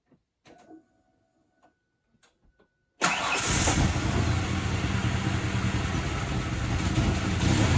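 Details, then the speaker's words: 1995 Ford Ranger 4.0, manual, RWD, after a new fuel filter: starts and settles into a low, uneven, lumpy rough idle. Owner suspects the idle valve; cleaning it didn't help, and hot restarts are bad. "Yep. It starts. But it's it's rough, huh? Don't you think? I think I have a problem with my idle valve."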